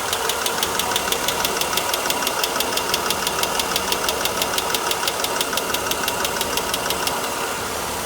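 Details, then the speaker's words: 1992 Mercedes W124 300E, M103 engine, fully warm idle: crisp steady tick about three a second, intermittent; owner suspects a worn, leaking-down hydraulic lifter, louder on cold start, oil pressure unusually high. "I can hear it now. Engine's fully warmed up. It's got a weird sound. Seems like it's over this area."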